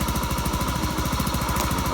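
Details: Honda Beat scooter after CKP sensor replacement for lost ignition, kick-started due to weak battery; small single-cylinder putters at an even quick beat without misfires, normal idle.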